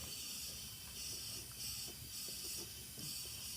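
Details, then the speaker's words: Built H22 engine in 1992 Honda Accord EX (CB7, sleeved, turbo), leak-down test on a cold, stopped engine, cylinder just under 70; steady high-pitched air hiss from the dipstick, minor blow-by past piston rings. "i hear a little bit coming out of the dipstick but this one's not as bad so i guess that's a kind of good sign"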